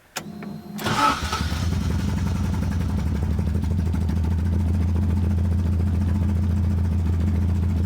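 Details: 1975 Toyota Corolla KE35 after starter motor swap: brief crank before it catches, then a fast, slightly uneven idle sitting too high; hard starting and rough running, cause unknown, exhaust also blown.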